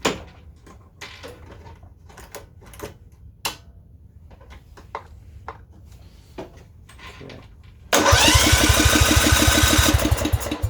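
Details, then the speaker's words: Kohler Command 13 mower engine after governor arm and throttle linkage adjustment, just refueled after running out of gas: quiet ticking then about three seconds of steady chugging that never fires; cause unknown, possible governor issue suspected. "this thing just it's not getting yet just put gas in there i don't get it it was out of gas a second ago"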